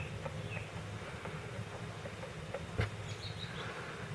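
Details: 2005 Yamaha Wolverine 350 4x4 at idle: buzzy single-cylinder idle with faint uneven knocks and one sharper clack; owner suspects rod knock, source unconfirmed.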